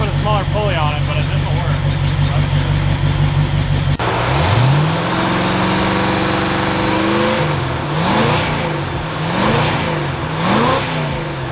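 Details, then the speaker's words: Ford Galaxie after a charging/voltage problem (car died), alternator replaced: engine cranks, fires up and settles to a steady healthy idle with light blips; reads 13.5 V with the idle raised slightly and accessories on minus the fans; alternator likely too small. "If I raise the idle just a little bit, it comes up to 13.5 with all the accessories on, minus the fans."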